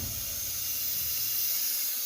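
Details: Wide belt sander running: steady even airy hiss with faint low hum, air passing a sensor that reads the air-tracked belt, normal.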